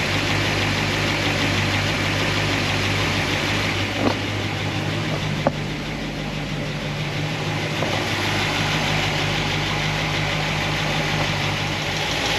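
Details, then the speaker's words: Warm engine, after cold start, with solid roller lifters and replaced guide plates that were the fault: steady low drone with only a faint tick from passenger side; valve train noise fixed. "You know, this used to be the problem side here, so we got some little bit of noise over on the passenger side. Drive it around a little bit, but for me, this seems like this is a win."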